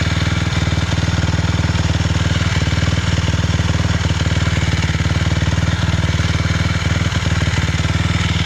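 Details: 2006 Suzuki LTR 450 single-cylinder idling with a fast, slightly uneven thud and occasional sharp pops; still has power but backfires, cause unknown.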